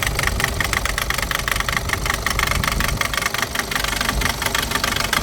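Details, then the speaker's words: Mazda BT50 / Ford Ranger diesel, hard starting with slow rail-pressure build-up before start: sharp metallic knocking at idle, about four raps a second, likely faulty injectors, which were removed for testing. "สวัสดีครับวันนี้ก็เจออีกหนึ่งคลิปนะครับดูอันนี้เขกมาเลยมาดูหัวฉีดนะครับ"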